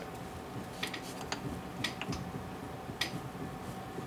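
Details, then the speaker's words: 1959 VW single cab pickup, wheel rocked by hand after brake work: sharp metallic clicks from play in the outer wheel bearing on this side, suspected also leaking; replacement to be ordered. "The outer bearing on this side's got play in it, and I have a feeling it's also going to be leaking because of the play."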